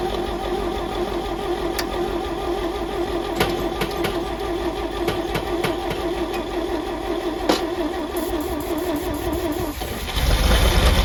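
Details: Champ forklift of unknown year, sat for years: steady rapid starter churn with scattered clicks, engine never catching before cranking stops; fuel reaches the carburetor but it is likely gummed up; battery weak, owner suspects choke or a Murphy switch.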